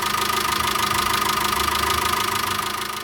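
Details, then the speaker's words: VW Caddy 2.0 BSX methane-fuelled engine after fixing misfire (spark plugs with 100,000 km, cheap ignition leads); steady even idle, soft pulse, no hydraulic lifter tapping; normal healthy idle. "Ну, давайте заведем, посмотрим, что вышло. Вроде как все хорошо."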